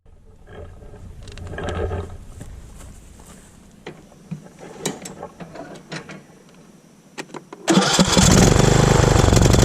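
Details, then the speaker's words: Riding mower with a no-start problem, after refitting the solenoid switch and reconnecting the fuel line: clicks, then the engine catches at about eight seconds and settles into a steady, even run; the carburetor was not clogged. "And there you have it. I wasn't for sure if it was going to be a clogged carburetor or what was going on, but luckily it was just this switch."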